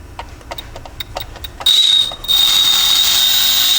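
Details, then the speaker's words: RC brushless outrunner motor (the outer can spins) on the bench with its sensor wire plugged in: uneven ticking at first, then a thin high steady whine. It barely runs and isn't smooth; the cause is not yet clear. "Oh, there we go. What's that? It's working, but barely though."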